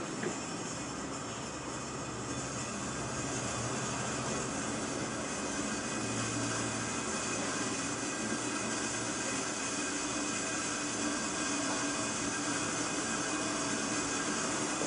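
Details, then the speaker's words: Opening the cascade nozzle slowly into an empty oxygen bottle, first 600 psi cascade cylinder: a constant, even hiss of gas flowing with no surging, sputtering or whistling; normal controlled O2 fill at a target 300–600 psi per minute. "When you're opening up these nozzles, you do not want to open it up fast. You just want to crack it to where you start hearing it. Flow air. So I can hear it."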